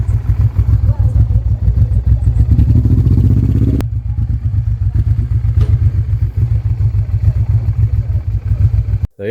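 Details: Honda Transalp XL600 V-twin after fitting XL650 carbs (previously cracked carbs, running on one cylinder), test ride: strong steady beat pulling cleanly under load, no fuel leaks; runs well, idle a bit low, carbs may need balancing.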